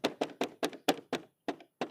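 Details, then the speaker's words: Bajaj Pulsar motorcycle, tail section shaken: sharp hollow clunks about four a second from rear body panels that have come loose and move, rattling; seat removal needed to inspect. "అసలు ఈ అనేది ఈ విధంగా కదలాడుతూ ఉంటాయి. ఇక్కడ ప్యానల్స్ అనేది ఓపెన్ అయిపోయి ఉంటుంది."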